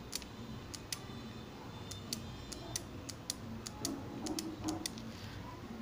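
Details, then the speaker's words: Microwave oven relay tested by touching its coil terminals to a battery: crisp, sharp clicks a dozen times at uneven intervals over quiet hiss as contacts close and gain continuity; normal relay click. "se va a escuchar un ligero clic ese clip me indica que ya está cerrando el circuito y estas dos terminales pasan a tener continuidad"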